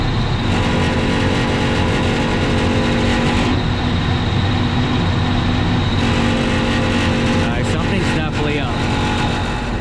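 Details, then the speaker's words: Johnson Controls packaged water source heat pump, fan running, panel open: heavy buzzing rattle over the running hum dulls when the housing is pushed, then returns; loose panel vibration. "think's making a lot of noise look when I push on it it's a lot quieter"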